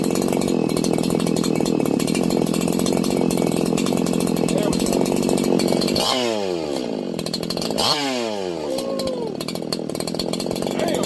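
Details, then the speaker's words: Freshly ported 4910/501p chainsaw after richening the low jet over two turns out: a steady high-revving two-stroke scream with two quick throttle drops that pick back up cleanly, running healthy and crisp. "So, I guess it needed a lot more fuel after the modifications I did. I bet I'm over I'm I'm over two turns out now on the low jet. Oh, that thing sounds like a freak."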